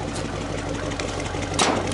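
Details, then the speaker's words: 1969 Chevy Impala 327 V8 after rebuilding 2-barrel Rochester carburetor with bad accelerator pump: steady even low idle rumble, no knocks or misses; now starts right up and takes gas. "Listen to that thing purr now. Probably run like a scalded dog now."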